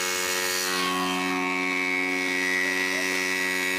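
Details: Homemade water pump driven by an old bike engine with right-side impeller from scrap yard: loud high-pitched mechanical drone with layered tone and rattle, running rough and noisy, too loud to talk over.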